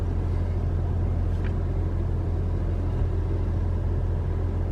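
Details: 2021 Toyota RAV4 Prime SE in hybrid mode, climate on auto with AC on: low, steady, even rumble with no whirring or cycling hum; no heat pump noise, engine running normally.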